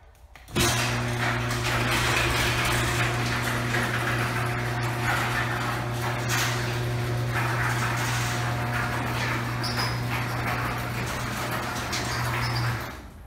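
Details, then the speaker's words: Garage door opening on the old worn steel rollers, before swapping to quiet rollers: steady opener motor hum under a constant rough metallic rumble and squeak through the whole travel; worn rollers grinding in the track, extremely loud. "so as you can see it's Extremely Loud and I hope the camera caught the squeakiness and everything like that but it's the the main thing is just loud"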